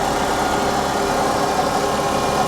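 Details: 1984 GMC G20 conversion van, abandoned for years, idling on a hot day with A/C not cooling: steady, even idle with a smooth mid-pitched hum and no knocks, misses or rattles. Normal idle.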